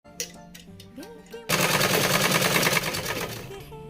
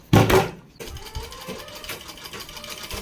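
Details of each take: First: Tailoring/stitching machine: fast, harsh clattering rattle at about three beats per second over background music, loudest from one area that is opened up; thread or debris there is suspected, and the area is cleaned and checked for free rotation. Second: Sewing machine running smooth after repair: noise was coming from under a cover held by two screws, suspected thread or debris there; opened, cleaned with cloth, parts checked to turn freely, screws refitted loosely. Light, even stitching beats with no knocking or grinding.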